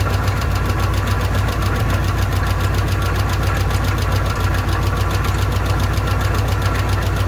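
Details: Old car run on fuel poured into the bowl: engine keeps running with a deep, uneven beat, rough and unsettled as if starving for fuel; owner says the bowl isn't taking fuel and the fuel pump isn't pumping.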